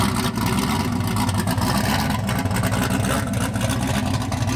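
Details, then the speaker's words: Chevrolet Malibu after new spark plugs replaced black-tipped ones: steady, fairly even running with a dense, slightly rough note; much better, but it still runs rich, pulling lots of fuel at idle. "But it's still, something's not right. It still wants to pull tons of fuel for no reason."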